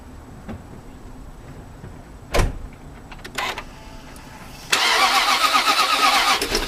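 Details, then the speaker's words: 1998 Jaguar XJ8 Vanden Plas V8 after throttle body cleaning for stalling, started with the pedal held to the floor: a few clicks and a pause, then it fires and settles into a steady idle, a normal start. "when you try to start it after you get done doing this procedure you want to make sure that you push that pedal all the way to the floor hold it down until it starts and and then you'll get a nice even flow after that so I'm going to walk around and give her a crank"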